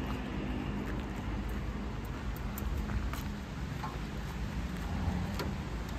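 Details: 4WD 500-litre sprayer vehicle with power steering and a Mitsubishi 3-cylinder diesel, pump running empty: steady, even low rumble with no misses, knocks or surging; a healthy engine.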